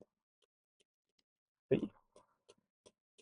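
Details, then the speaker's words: Indicator stalk plugged back in after a plug-in clunk: light quick ticks about 160 a minute, too fast for normal flashing. Hazards work normally, so the relay is most likely ruled out; smoke from the stalk revealed a burnt circuit track. "basically when I plug the indicator stop back in you can hear the"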